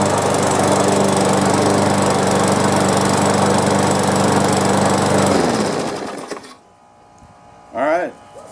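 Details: Walk-behind push mower with a new, correctly gapped spark plug, test start after basic maintenance and cleanup: engine holds a smooth, even beat about five seconds, then shuts off and coasts down; sounds healthy, likely just needed cleaning.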